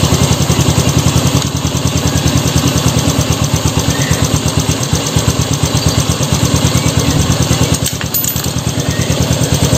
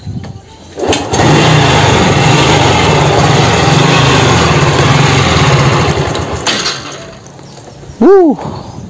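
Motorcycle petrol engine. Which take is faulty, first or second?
second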